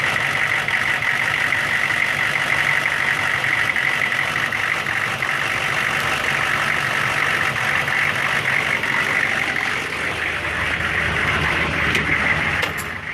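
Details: 1999 Chevy 6.5 diesel truck at idle with a bad fuel injection pump, owner noting an odd link to the AC electrical circuit or engine load: loose, rough uneven clatter with an irregular knock; fixed by replacing the pump.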